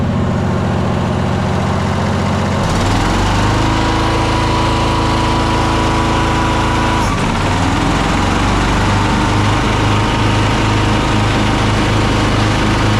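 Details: Troy-Bilt Mustang RZT zero-turn mower that bogs and dies under load: small twin runs rough with lumpy beat, one cylinder not firing; ignition coil diagnosed bad and replaced.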